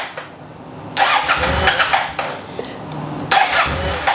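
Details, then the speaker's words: 2009 Yamaha TMax scooter, long neglected, before fuel pump replacement: catches and runs a few seconds, stays running with light throttle but dies with more; exhaust running hot, owner suspects fuel pump or clogged injectors. Starts then stalls. "I got it to run for a few seconds and if I kind of do this with the throttle it will keep running but if you give it a lot it just dies off"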